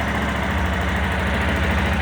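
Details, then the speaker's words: Yamaha Tenere 250 after replacing a faulty cam chain tensioner that caused a tec-tec noise: steady single-cylinder idle with an even thump and no top-end ticking; noise gone, engine healthy. "tá aí mostrar para vocês que problema do barulho do motor era realmente o pensou agora acabou o tec tec"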